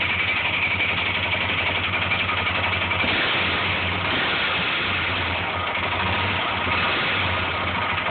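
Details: Honda 400ex single-cylinder engine at idle: loud, roughly regular knock about four times a second with an occasional extra-loud hit; owner says it is not the valves, and the cause is unclear.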